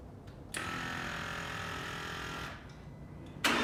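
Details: 2015 Aston Martin Rapide pre-purchase inspection, initial cold start (only about the third start, briefly run before), idled then revved to about 1,500 and 2,000 rpm: quick catch, smooth steady run, clean rise in revs, no knocks or belt squeal.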